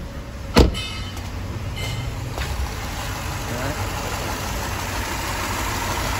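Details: Mercedes-Benz idling with a low, uneven rumble and steady misfire, shaking, sluggish and down on power; suspected ECU failure, another ECU to be tested.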